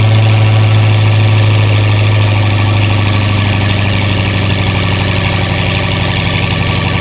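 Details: Camcat after sitting six to eight months over winter, first start on a new battery: smooth even idle with a steady low drone, no knocks or misses, 60 oil pressure on the dash; engine healthy and settled.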